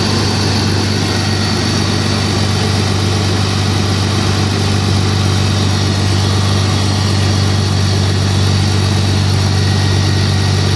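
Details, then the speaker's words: BMW E46 at cold start, secondary air (smog) pump running: steady idle with an even, constant whirring hum over the engine and no knocks; normal secondary air pump operation at cold start. "so what i'm gonna do is uh first i'm gonna show you how the smog pump works well how how it sounds all right fire it up"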